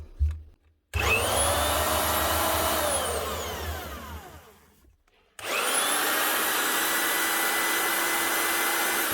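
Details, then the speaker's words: Marcrist DDM3 three-speed wet and dry diamond core drill. The motor whines up, coasts down and restarts with a rough growl from a worn gearbox bearing; the head is rusting inside and the seals are gone. "now there we go we bit of a grow out of it it's the head here she's starting to rust inside of here"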